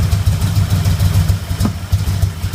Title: Popping noise at idle @ passenger side lower intake manifold